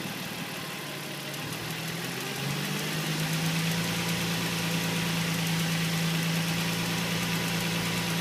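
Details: 2005 Nissan 350Z at idle: light, quick ticking about three per second over steady idle, seemingly from below the intake manifold; owner suspects injectors or hydraulic lifters, unconfirmed.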